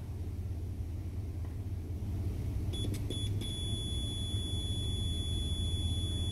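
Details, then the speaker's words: Clothes iron being diagnosed for not working properly, wires disconnected. A steady high-pitched multimeter continuity beep over low rumble, meter reading zero across the heating element, so the element is good. "so now I'm going to go ahead and check the elements of the iron if you notice on the meter it is reading zero"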